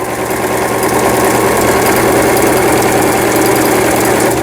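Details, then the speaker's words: Toyota CB03K household sewing machine (vertical hook, made 2006 in Hangzhou, China), fully disassembled and repaired: steady, even needle chatter at a constant fast rate over a smooth motor hum; normal sewing. "여기 뭐 기능들은 많지만 이 지그재기 가장 중요하지 않겠어요? 12번, 13번 누벼주는 거."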